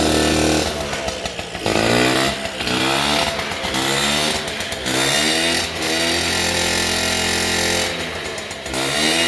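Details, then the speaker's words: 1978/79 Honda Express 50cc two-stroke moped, parked 20+ years, first start with two-stroke smoke; buzzy revs surge and sag unevenly; rough running, carb issues, fuel leaks and two-stroke oil spraying out. "okay we got some carb issues that's fine but dude we got it we got it running that is awesome"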